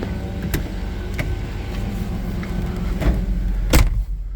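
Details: 1995 Chevrolet S10 Blazer V6 on a cold Ohio winter day: deep, even rumble with short throttle blips, no knocks or ticks; healthy-sounding engine.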